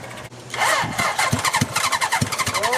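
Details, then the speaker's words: Half-scale kart with a 750cc four-cylinder motorcycle engine, abandoned outside four years: old fuel flushed, carbs primed, temporary tank, starter solenoid bridged, throttle feathered. It cranks with irregular pops and brief firing that never settles; plugs suspected fouled, engine flooded. "so this thing sounds like it really wants to fire up but I want to go ahead and pull some of these spark plug and see how they're looking"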